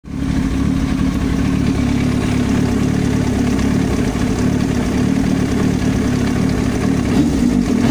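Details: Yamaha YZF-R1 at idle: fast, steady ticking knock over the exhaust beat, constant at idle; foreign noise from the cylinder head, top-end knock.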